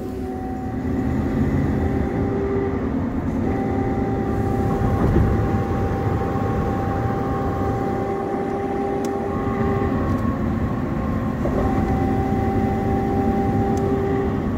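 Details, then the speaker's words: 2004 Chevy Tahoe front differential, on the road: loud steady humming whine on throttle around 40 mph that stops when lifting off; ring and pinion gear and bearing suspected, front diff being replaced. "I give it gas and listen I don't know if you can hear it but it makes a loud humming sound when I give it gas"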